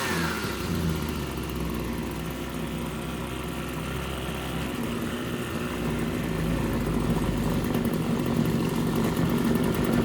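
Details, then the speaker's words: RedMax TRZ230S two-stroke string trimmer: lopes slowly and unevenly near stalling, picking up slightly as idle screw is turned up; idle speed too low, later runs slightly boggy off idle, no fuel leak. "So what I'm trying to do is turn the idle up because it's obviously way too low."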